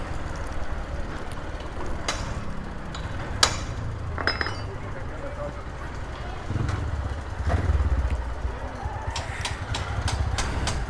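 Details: Honda Titan 150 motorcycle after clutch bearing work, noise appearing next day and persisting: single-cylinder thumps unevenly at idle with sharp metallic knocks at irregular intervals; abnormal internal engine noise at idle.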